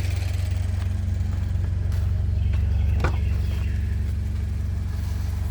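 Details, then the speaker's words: Subaru BRZ engine with a rod knock, now masked by Lucas heavy-duty oil stabilizer rather than cured, at operating temperature: a steady, even idle with a smooth low hum and no knocking or tapping. "see the engines are up to operating temperature and and and it's not knocking it's uh reving pretty [Music] good"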